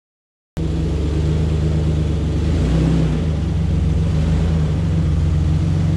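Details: 2004 Ford Ranger XLT FX4 Level 2: deep, loud, open rumble that swells a little with throttle, like straight pipes; exhaust leak from a rusted-through muffler, before the muffler was replaced.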